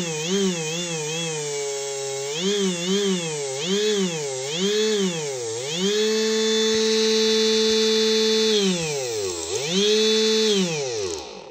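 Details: Big brushless DC motor with rear cooling fan, run on a 30A drone ESC: clean whine swooping up and down with throttle, then a steady high pitch with no roughness; healthy, fast motor after swapping out a vibrating one.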